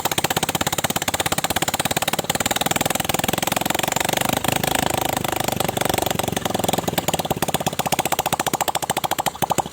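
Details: Honda Supra 125 after fitting a Kawasaki ZX 130cc piston, first start with the cylinder head cover left off, fresh oil: fast, even single-cylinder beat with light top-end clatter; engine starts and runs smoothly, normal running.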